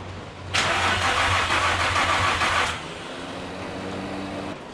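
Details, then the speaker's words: Manual-swapped Nissan G35 during start attempts after the swap: about two seconds of rapid, even starter cranking, then the engine never fires. Owner suspects a fuel problem, unconfirmed. Crank, no start. "yeah so i feel like it's something to do with the fuel um"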